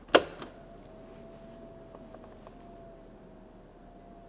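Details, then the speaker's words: Large DIY CNC machine electronics at first power-up; 24 V power supply emits a thin, steady high-frequency whine in a quiet room. "i don't know if you can hear it through the microphone but there's this high frequency sound coming from one of the power supplies"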